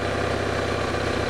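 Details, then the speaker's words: BMW R1100RS oilhead boxer twin, about 75,700 miles, fully hot after running, idling at 1250–1300 rpm with 18–19 psi on a mechanical oil gauge: smooth, steady low beat, no tapping; oil-light flicker complaint. "we are idling at 1250 to 1300 RPMs indicated on the tacometer and our oil pressure is about oh 18 to 19 PSI"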